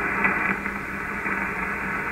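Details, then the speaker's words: Ham radio receiver on the low end of medium wave near 474 kHz, after grounding the ungrounded fiber internet terminal: only a soft, steady hiss with no buzz or whine; interference eliminated, clean noise floor. "I think I can still see just a slight hint of the interference but it is so low that I can't hear it so we've really improved the band here in the low frequency ranges at the bottom end of medium wave"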